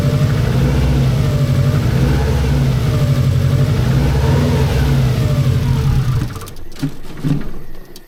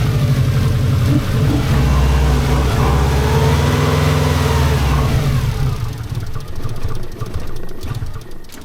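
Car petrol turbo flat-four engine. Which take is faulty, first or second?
second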